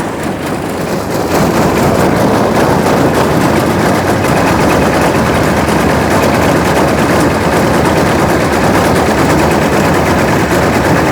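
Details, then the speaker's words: Homemade mini Jenny JN4 WW1 replica aircraft two-stroke engine after 13 years sitting: loud, ragged crackling rattle with uneven beat that never settles; runs rough and erratic, cause unknown. "I don't get it but there you go hers like a kitten on methamphetamines I'll call it a win huh"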